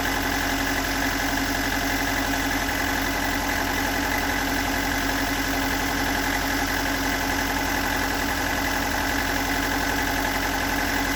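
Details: Stock unmodified bigport blue-top 4AGE in a Toyota AE86, about 195,000 km on the swapped clock, regularly maintained: idle with fast uneven light tapping knock about three to four per second over the engine note; owner cannot locate the cause.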